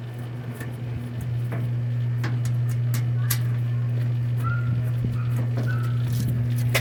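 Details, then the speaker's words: Electrolux 8 kg LM08 washing machine after replacing the drum bearings and seal to cure noise during washing: spin cycle holds a steady low motor hum with only light clicks, no rumble or grinding. "a parte da centrifugação então nós tiramos o problema que era o barulho que tava fazendo trocamos os rolamentos e trocamos o retentor para não estragar o rolamento novamente"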